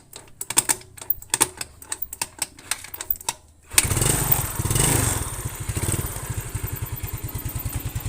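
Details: Yamaha Mio scooter after carburetor repair and setting, which fixed hesitation on first throttle, high fuel use and low power: fires up after a few isolated knocks into a steady idle, revs rise at once with no stumble; normal idle and revving.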